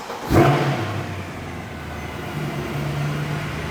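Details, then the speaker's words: Mercedes C63 AMG Edition 507 Coupe V8 with MCT transmission, started after a 10–15 minute cylinder engine flush: fires with a short roar, smoky, then settles into a steady, even idle with no misfire. "but she sounds good no misfiring okay it's idling down excellent"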